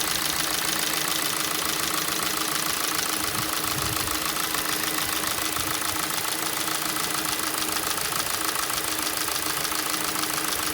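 Steady sharp ticking knock, about three and a half per second, rides over a cold idle; a cold-engine knock, cause not yet found.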